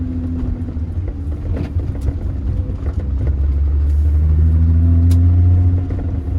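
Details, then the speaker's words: Turning while driving after a new SKF axle was installed to cure a noise: steady low road rumble and engine drone with no clicking or knocking; axle joints sound healthy, noise gone. "here nothing we're turning I don't hear anything I'm gonna lose anything"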